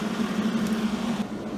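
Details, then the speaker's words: Millermatic 141 MIG welder cooling fan after shimming and bending vents downward: steady low droning hum with faint buzzy flutter; vibration only slightly improved. "I took some pliers to the cooling vents kind of opened them up a little better had them blowing downward I think this shim work is going to do it may break free over time sounds a little better but not much"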